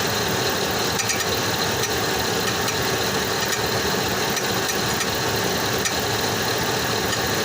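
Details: 2005 Chevrolet Tahoe whose weird noise started one day, heard from underneath. Steady V8 idle with a faint light ticking and a rattly edge: an unidentified engine noise at idle, source not pinned down.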